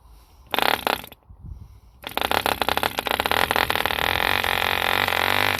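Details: 1948 E.D. Mark II Competition Special 2cc long-stroke model diesel, first start after rebuild from two incomplete engines: two short bursts, then catches and holds a high crackly buzz at steady speed, no misses; healthy running.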